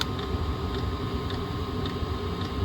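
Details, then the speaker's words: Chinese diesel parking heater being tuned at 5200 ft elevation, pump setting raised to 1.9: a steady burner roar with a soft fuel-pump tick about twice a second. Output raised by pump frequency adjustment. "So we're gonna go up. I would say, I'm gonna say 1.9. We'll click OK, you hear it ramped up."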